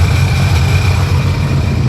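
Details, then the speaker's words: 2005 Sea-Doo GTX idling after hydrolock, warming up before an oil change: loud, low, throbbing idle with a slightly uneven beat, running steadily; owner unsure whether the engine is still damaged. "dude you guys don't understand I thought this thing was toast it still might be toast but as of right now it's"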